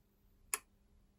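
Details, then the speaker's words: Sonnen Macht SMMCSL TL36K grid-tied inverter on the bench, grid at 239–240 V: one sharp relay click, then a fainter one, over a quiet hum; relays switching, faulty relay unconfirmed. "so here are these relays here I wonder if I can feel them clicking under my finger"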